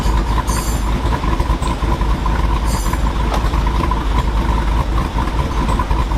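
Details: 2022 Jeep Wrangler Rubicon 392 V8, 2,000 miles, aftermarket cam, ported and polished big-valve heads, on dyno in 2WD with front driveshaft removed, heard from rear: deep loud rumble with uneven choppy pulse; healthy lopey cammed idle.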